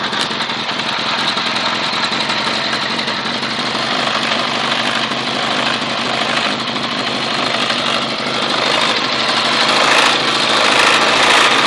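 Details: Honda CBR 1000 motorcycle engine running steadily with a faint, fairly regular mechanical tick about three or four times a second; cause not yet known.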